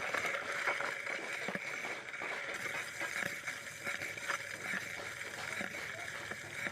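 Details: Motorcycle disc brake: a steady high-pitched scrape hisses on as the wheel turns, pulsing each revolution, from a brake pad worn down on one side dragging on the disc.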